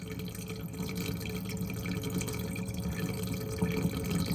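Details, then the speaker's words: Bosch Ascenta dishwasher that wasn't draining, after a reset by holding start for 3 seconds. Steady low pump hum with water gurgling as it empties; normal drain pump operation. "I held it for 3 seconds, and it is draining out of it."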